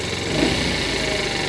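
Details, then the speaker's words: Used 50cc Chinese scooter, warm and on a lift, after the idle was set down. The small engine putters at a steady, settled low speed with no misses or hunting: normal idle. "yeah it's running good enough that I may as well just give her a run around the block see how it"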